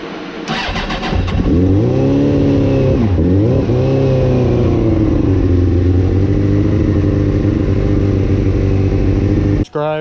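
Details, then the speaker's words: Suzuki GSXR, stolen-recovery bike with cut wires, after rewiring with battery charger connected: catches after a few cranks, revs rise and dip unevenly, then settles into a slightly hunting idle; possible remaining carburetor issue. "so let's see if she will start and I think he does still have a carburetor issue"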